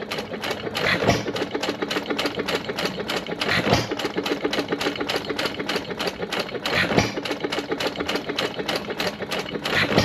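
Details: 1925 1.5 hp Sattley hit-and-miss gas engine after Wico EK magneto repair: fast mechanical clatter with a heavier firing bang about every three seconds and even coasting between; normal running.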